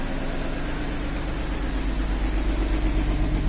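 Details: Infiniti FX35 first start after cylinder head repair with camshaft bearing journals restored, car sat since 11 August 2023: steady even idle with smooth low rumble, no ticking or knocking; engine healthy.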